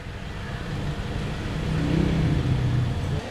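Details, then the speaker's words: Chevrolet Sonic with a P0300 misfire, heard at the rear exhaust after replacing the ignition coil: low, steady idle burble with even pulses and no stumbling or popping; misfire gone and check engine light no longer flashing. "ya en la parte trasera del vehículo en el escape pues ya no tenemos problema"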